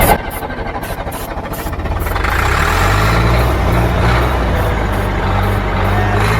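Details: Old Caterpillar diesel, sprayed with starting fluid, fuel filter leaking, owner considers bypassing it; slow uneven cranking about three turns a second, picks up briefly but never catches; fuel not reaching engine.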